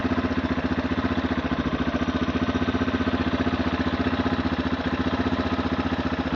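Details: 2008 Yamaha TTR230 at warm idle, after about 5 minutes of running: steady ticking rattle about four a second, tied to engine speed, seeming to come from one side. Valves in spec and cam chain tensioner checked fine, so the source is unknown.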